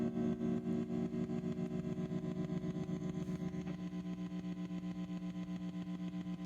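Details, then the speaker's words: 1965 Fender Deluxe Reverb, before repair: steady soft tremolo tick about four times a second under the hum, audible even with speed and intensity turned down; later fixed by relocating some wires. "that will tick there even with the speed and intensity done you can still hear it so that's gonna be something we'll try to address them"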